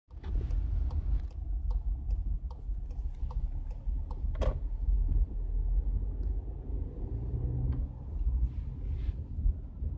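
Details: Skoda Octavia driving over a low road rumble with scattered sharp knocks, one much louder, from the suspension; a loose suspension part is likely.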